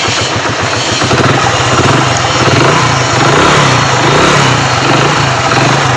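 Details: Hero Splendor Pro after repairing a broken magneto-side plate: single cylinder settles into a steady, even idle with no knocks or rattles; sounds healthy.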